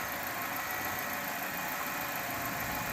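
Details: 2008 Kia Spectra after fixing its squealing power steering/alternator belt: steady idle with no belt squeal while the steering wheel is turned right, center and left.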